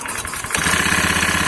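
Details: Honda Beat FI ESP injection scooter with weak, heavy pull and vibration at the rear; engine catches and idles with a fast, coarse metallic rattle riding on the beat, traced to worn rollers and roller housing in the front CVT pulley.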